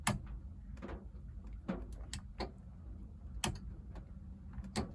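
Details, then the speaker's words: Standard Vanguard in rain, ignition on: switching the overdrive switch to off makes the overdrive relay click sharply over rain patter, nothing in the on position; overdrive wiring reversed, to be rewired from scratch. "That is wired incorrectly because that's in the on position now. I switch ignition on, hear nothing. Flick the switch to the off position."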